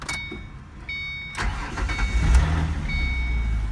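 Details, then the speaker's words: 2006 Ford Mustang V6 4.0 with intermittent stalling/no start and no communication, after swapping in a good PCM power diode: short crank, then it catches and settles into a steady idle with chimes, confirming the PCM diode was bad. "we are back in business okay so uh that just verifies that the PCM power diode was out again"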